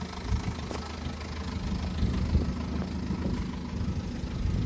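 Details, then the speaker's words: Vauxhall Astra H 1.4 litre petrol, 79K miles, idling with a loose, uneven rattle and light clatter over a low hum: worn timing chain, before replacement. "do you get this is a rattling timing chain"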